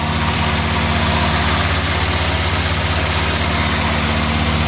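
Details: 61-year-old one-owner Morris Minor 1000 four-cylinder, just after cold start on choke in neutral: steady even low putter about four beats a second, no knocks or misses; idles smoothly, no major leaks.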